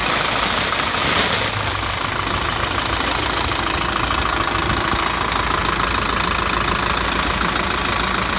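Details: Steady hiss over a rough idle, strongest up high, no clear rhythm; the hissing sound has returned, seemingly from low down on the truck, an air or vacuum leak not yet found.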